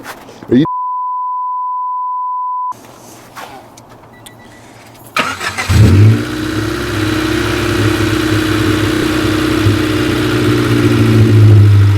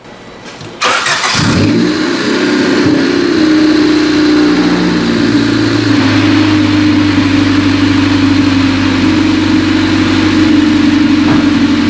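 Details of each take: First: 1995 Honda Civic 1.5L just started: runs fine at first, then idle swells and sags rhythmically instead of holding steady; fluctuating idle from misadjusted fast idle thermo valve (FITV); fixed by FITV adjustment and coolant bleeding. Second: 1995 Honda Civic 1.5L after adjusting the fast idle thermal valve diaphragm under the throttle body and bleeding coolant: running two minutes, steady even idle with no hunting or surging, entering closed loop; fluctuating idle resolved.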